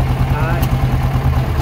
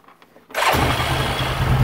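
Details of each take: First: 2008 Yamaha Rhino 660 single-cylinder UTV in gear (high): engine chugs unevenly, missing horribly, idles fine in neutral; unplugging the speed sensor stops it instantly. Suspected faulty speed sensor or its wiring, CDI already ruled out. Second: 2008 Yamaha Rhino 660 UTV single-cylinder engine starts after a brief quiet and settles into a steady, even idle in neutral. Earlier it cut out and ran badly as soon as it was put in gear; a borrowed CDI didn't help, speed sensor suspected.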